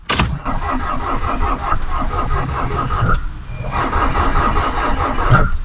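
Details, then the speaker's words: VW Passat on a frosty morning with a weak battery: steady starter churning at about four to five strokes a second, never catching. The 600 A booster lacks enough starting current; roughly 800–850 A is needed. "риэлтор не справился пассату нужен больший ток на запуск риэлтор дает только 600 ампер здесь видимо 800 850"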